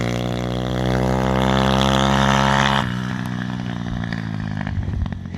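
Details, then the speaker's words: Chinese CRF50-frame pit bike with Z160 engine, first test ride: revs climb to a steady buzz, then irregular crackles and pops from the exhaust on closing the throttle. Throttle also sticking; exhaust not yet checked. "i forgot to check the exhaust it definitely sounds like it's popping or something"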